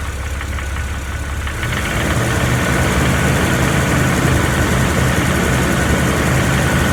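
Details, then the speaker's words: Jeep Wrangler TJ petrol engine revving from idle, stethoscope on bell housing: light, fairly regular ticking under engine note that fades at higher rpm, quieter once warmed up; owner suspects flexplate, ticking sounds different from the rattle heard. "the ticking I'm hearing up here through the stethoscope almost sounds different than what I'm hearing rattle"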